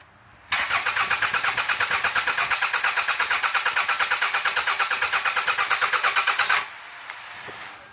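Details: 2001 Toyota Camry after core support removal, wiring repairs and new radiator: starter spins the engine steadily, about three even compression pulses a second for six seconds, but it never fires; cranks, no start.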